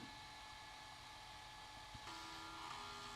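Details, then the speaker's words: Amstrad ACL-386SX powered on with an external Sony 1.44MB 3.5" floppy drive connected by cable, the internal Citizen drive disconnected: quiet whirring spin-up, then a soft steady tone as the floppy motor turns normally without grinding. "Okay. hear the floppy turning. All right, let's go."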